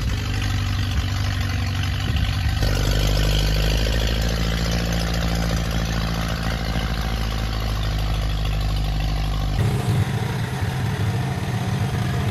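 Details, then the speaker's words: Ferguson T20 barn-find tractor out after 38 years standing, some small leaks remaining; low chugging four-cylinder beat holds steady then shifts tone as it moves off, no knocks; normal running. "there is some smaller leaks but I can take care of that later because now it's time to take this tractor out in the real life after 38 years of standing here"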